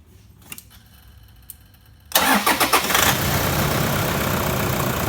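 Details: Toyota Prado diesel started just after an alternator replacement, with a voltage booster diode fitted since 2014: starter cranks briefly, engine catches within a second and settles into a steady, even idle clatter; charging at 14.52 V and rising.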